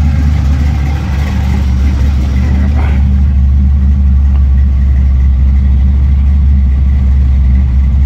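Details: V8 with a FiTech 1200hp 8-injector EFI system, first start after four weeks, after the fuel pump cycled and primed: deep, steady idle with an even low rumble, no misses, knocks or ticks; normal idle.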